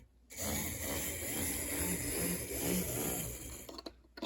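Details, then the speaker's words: Newly acquired model locomotive run on power: small electric motor whirs unevenly with wavering buzz and hitches, runs roughly; owner says it needs work. "I probably won't run this too much now it will need some work it might be a restoration video in the future but it does seem to be running ish"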